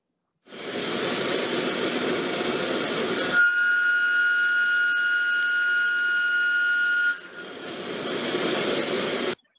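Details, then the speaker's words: Milling demonstration: cutting hiss turns into a steady piercing whistle near 1.4 kHz, chatter from using a long end mill for slotting with too little contact on the part, causing vibration and leaving burrs. "si escuchamos no tenemos todo el contacto en la pieza por lo cual generamos muchas vibraciones y silbidos en este caso y dejamos un poco de rebaba en la pieza"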